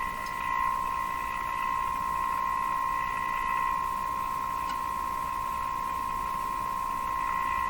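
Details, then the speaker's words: Moffat Crosley G2465 five-tube radio during IF alignment near 455 kHz: a steady high test tone, warbly and rough. It is likely garbled because the signal generator's ground lead is clipped somewhere other than B-minus. "hmm the radio I get this this is suggesting to me that I don't have the signal generator hooked up to B minus I've hooked that up to something else the the ground side of it"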